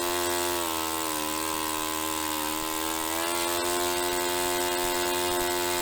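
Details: Restored Saito FA-45 Special four-stroke on a test stand, 10% nitro fuel, original old glow plug, after tuning. A high, steady buzz holds an even pitch with a slight rise near the end, with no sag or popping; normal running.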